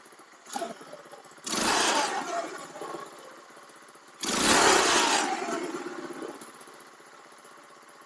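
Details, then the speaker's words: Baja Dune 150 buggy with a Chinese 150cc engine, after rejetting with a 110 main jet: two clean throttle blips rise and fall freely over a quiet idle with no spitting or stumble, only slight fogging. Running much better; normal. "So I have rejetted this with a 110, and that is a million times better already. It fogs a little bit, like a little, but it gets up there."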